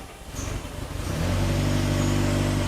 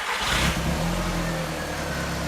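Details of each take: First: Barn-find Audi S3 parked nine years, with new plugs, on its first runs; uneven, lumpy, stumbling running under a low rumble, which the owner suspects is mostly from bad old fuel and a very old fuel filter. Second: Audi S3 barn find parked nine years, after refitting the boost pipe, on little fuel with the engine light on: it catches at once and settles into a smooth, even run with no misfire; far better than its earlier struggling, tapping run.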